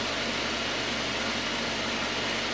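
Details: 2.0 Citroën C4 idling steadily and evenly after six days of cylinder head repair at a machine shop. Smooth hiss with no ticking, tapping or knocking; the head problem's engine noise is gone and it runs normally.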